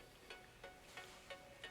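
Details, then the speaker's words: Panda-shaped plush 3.5 mm jack speaker crackles with sharp bursts about three times a second over faint hiss, only when the phone (on Wi-Fi) is placed inside; owner unsure if model defect or phone radio interference. "ça peut le faire mais voilà vous attendez il grésille et il fait ça uniquement quand le téléphone est dedans"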